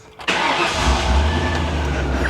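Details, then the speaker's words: 1998 Ford Explorer, about 26 years old, after locating a wiring fault, fully charged spare battery; catches instantly on first crank and settles to a steady even idle, no ticking, knocking or smoke; normal start and idle. "that's the smoothest 26y old car I've ever heard run no ticking no knocking no smoke it fired right up"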